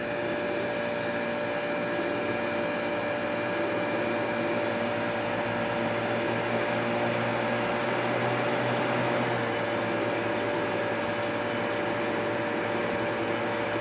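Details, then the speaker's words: Kenmore dehumidifier compressor started using two weak 15μF capacitors wired in parallel (about 30μF): steady, even hum with constant mid tone and fan rush, no stalling or clicking. Normal running; confirms original capacitor bad. "there we are yeah they've took nothing to start up"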